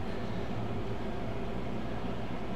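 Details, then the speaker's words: Hard drive with files powered on in Yottamaster dual docking station before offline cloning: steady low hum, even smooth tone, no clicks or scraping as it spins up; normal spin-up. "It may take a couple seconds to reboot because you have to power down, power on. Here we go, you hear the noise."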